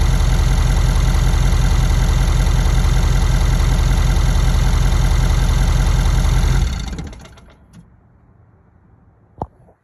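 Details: 2017 Ford F-250 6.7L diesel, 98,000 miles, steady idle with fast light "sewing machine" ticking heard from the right head area, loudest at injector 7 and CP4 fuel lines, then a faint clank shortly after shutdown; source unconfirmed, CP4 suspected.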